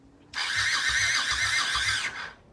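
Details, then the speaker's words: Honda Shadow Sabre 1100 after the freed-up starter was refitted: starter spins freely with quick, even low chuffing about four per second; engine turns over cleanly but does not fire. "so we're gonna put this whole mess back in here and see if the engine turns over all right so we put that back together we're gonna see what happens here"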